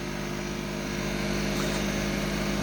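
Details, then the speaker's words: Spin dryer at full spin, about 3200 rpm, with a wet test load: loud steady high ringing whine like a vintage fire alarm bell over the drum rush, far louder than a comparable dryer at the same speed. "it sounds like one of those vintage fire alarm bells [Music] that is really really really loud"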